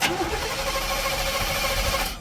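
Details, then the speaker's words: OBS Chevy short-bed truck with a 350 V8, unstarted about six months, on a hot day: catches at once and settles into a steady, even idle with no knocks or misses; normal start and idle. "So we're gonna get it started right here in a second and show you guys how good this old girl runs. She runs really good."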